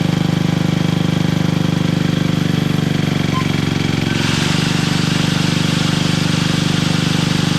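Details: Toro 58-inch professional 3-gang reel riding mower after freeing a seized blade PTO: steady low engine drone with an even rapid beat, slight pitch step as the reels load, no knocking or grinding; works normally.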